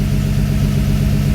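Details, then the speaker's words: 1974 Dodge D100, cold start with choke on, before valve adjustment, tach reading about 800 rpm: even, steady idle pulse with no misses, ticks or knocks; normal idle, sounds about right. "And it says it's idling at about 800 RPM. And that's probably about right. I told you it sounded about right."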